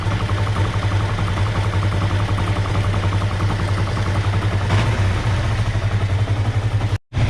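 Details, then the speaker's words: 2005 Kawasaki Ninja 500R twin, first start after sitting 10 years, carbs rebuilt, no choke: the idle hunts up and down and is still somewhat high. The owner suspects an air leak or a hanging throttle. "So though it's idling really good, the idle keeps bouncing, which tells me we have an air leak because we have a hanging throttle."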